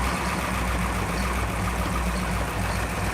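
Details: V8 car idling after it finally started; heard through the exhaust pipes. Deep, steady burble with an even low rumble and no misses or knocks. Normal idle.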